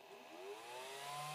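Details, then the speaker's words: FlashForge Creator 3D printer at power-on: a thin whine rising to a loud, steady high tone. It comes from a tiny cooling fan, not the power supply; the fix is disconnecting it. "that sound, and it's pretty loud and it pretty is intrusive on your space. So let me turn this off. Well, I found out what that loud sound is. Turns out it is this little guy right here. Not the power supply, this little teeny tiny fan."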